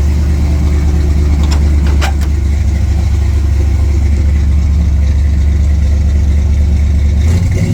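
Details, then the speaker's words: 1967 C10 truck V8 after exhaust leak repair with all plug wires removed and refitted: steady, even idle with a deep regular rumble, all eight cylinders firing, no ticking or major exhaust leaks; normal idle. "sounds like it's got all eight cylinders which if you saw in the time lapse I had all plug wires off so I must have hooked them back up right I guess um yeah I mean I don't hear I don't hear major exhaust leaks"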